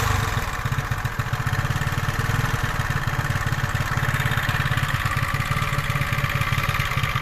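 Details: 125cc scooter engine after valve adjustment, cam timing, chain tensioner fitting and 0.75 L oil fill, test-started: even, steady single-cylinder putter at idle with a regular beat, no ticking; normal idle.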